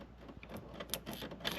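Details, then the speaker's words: Household electrical panel serving a new dishwasher that randomly stopped working: faint, irregular crackling snaps of arcing at a very loose neutral terminal. The loose neutral is the likely cause; fixed by tightening it. "I'm gonna check here for just like a loose neutral. Oh, how about that? Very loose. I wonder where that's going to. Hear that sparking?"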